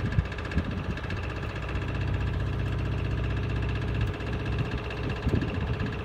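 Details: Miele Honeycomb Care W418 5 kg washer, overloaded with bricks, final spin set to 1600 rpm: heavy rumbling spin with irregular thumps and bangs; owner suspects broken drum spider, drum wobbles and is noisy above about 900 rpm.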